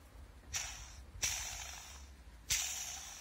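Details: Original timing-belt idler pulley from a 2.0 TDCi/HDi PSA diesel, about 210,000 km, never replaced, removed from the engine; three hand spins each give a hissing rustle that fades out, a worn bearing.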